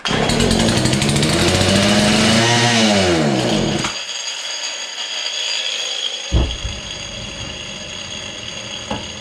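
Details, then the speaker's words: Husqvarna 235 X-Torq chainsaw long stored, revived, primed, full then half choke, little fuel in tank; fires and screams briefly, revs sag and waver, dies within four seconds; owner suspects fuel pickup not working well; hard starting, stalls. "seeing here it's wanting to run try again full choke after primed a few more times half joke"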